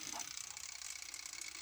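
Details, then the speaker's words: ISDT 70 budget ESC with active drag brake enabled: motor not turning gives faint, rapid high-pitched buzzy chatter, cogging from the drag brake setting. "that motor is just sitting there cogging making all sorts of noises that cannot be good not sure what's going on there"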